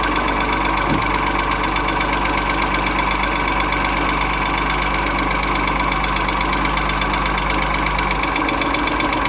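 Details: Engine knock on a 2.6 engine at a steady idle: a light, uneven knock of about two per second rides over the engine note; the cause is unclear.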